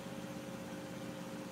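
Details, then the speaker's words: Miele washing machine spinning: quiet, even hum with a soft steady tone, shock absorbers audible, not whiny, no knocking or banging, shaking only a little; smooth, normal spin. "you can hear the shock absorbers going - yeah boss that goes off I like the sound of many of ours as well yeah it's not whiny"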